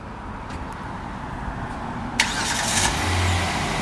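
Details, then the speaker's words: Kia Sedona remote-started after valet mode was switched off (it previously refused to start and beeped): a brief crank, then it fires at once and holds a smooth, steady idle. "there you go your car starts right up guys so it's as easy as that"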